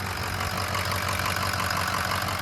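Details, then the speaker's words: 6.0 Powerstroke diesel just after replacing a cracked injector, still warming up with some misting and haze: even idle clatter with a smooth, unchanging rhythm and no skips, sounding healthy. "It sounds good. We might be able to ride with that."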